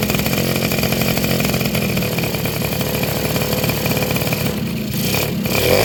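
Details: Two-stroke motorcycle (Suzuki RC110/Yamaha Y100 type) after replacing a hardened, leaking crankcase seal that prevented starting: fast, buzzy, even idle putter with a light rev blip.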